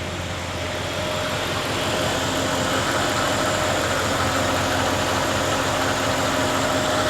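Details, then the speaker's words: Chevy OBS crew cab LS V8, first start in a while after fitting a new accessory drive and upgraded charging system; steady, smooth low rumble, no belt squeal and no leaks; normal idle. "Don't see any leaks. All right, it runs smooth."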